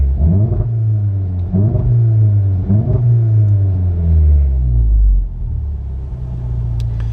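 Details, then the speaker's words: VW Golf GTI with a big turbo on the standard map: revs surge and stumble in uneven bursts as it comes onto boost after about 3,000 rpm; owner suspects fuel starvation, cause not found. "and that is where after three so basically when it's coming on boost so i just i just don't know if it's a lack of fuel because of the big turbo on the standard map it also"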